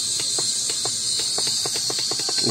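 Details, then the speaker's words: Bluetooth speaker playing radio, owner complaint of no sound from main speaker: thin hissy static with no bass, only the tweeter sounds; woofer silent, dead from a detached wire. "Ito lang naririnig natin yung pinaka-twitter. So wala yung pinaka-speaker niya walang sound."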